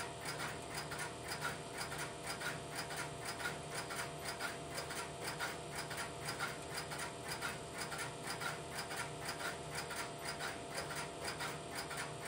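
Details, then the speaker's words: Idle Strowger step-by-step telephone switch, no calls placed: steady ticking about once a second over a busy hum of relays as the interrupter cycles; normal idle. "I will let the camera run for a minute or so to pick up the sound of the interrupter in the background and then I will place a phone call through the switch."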